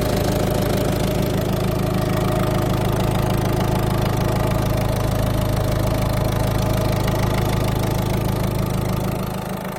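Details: Peugeot/Citroën eHDi 112 diesel at idle: steady drone with a regular light ticking about three times a second; owner unsure whether the noise is normal.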